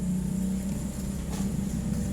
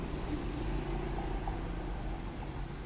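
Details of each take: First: Hitachi automatic washing machine that will not wash or spin; a steady electrical hum with no pickup in speed, so the motor is energised but stalled; a faulty capacitor or failed motor is suspected. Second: Hitachi automatic washing machine after replacing its faulty motor, which had hummed without turning: on a dry spin test, a steady, even low whir with no knocks or grinding as the drum spins up smoothly. Normal spin confirms the old motor was the fault.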